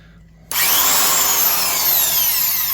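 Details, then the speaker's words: Milwaukee 1670 single-speed 900 rpm 1/2" Hole Hawg stud and joist drill running. Steady high motor whine with smooth gear hum, no grinding or rattle; sounds fine: normal drill running. "Doesn't sound as bad as pulling out that motor and shoving some new grease in the gears. Reseating the brushes. It actually sounds just fine."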